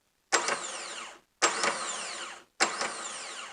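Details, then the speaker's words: New starter motor for a 1999 Holden Jackaroo 3.5-litre with intermittent no-start, bench tested before fitting: three clean high whirring spin-ups and smooth wind-downs, no grinding or clicking; normal free spin. "i've also bench tested the new one just to make sure that it works before i put it in"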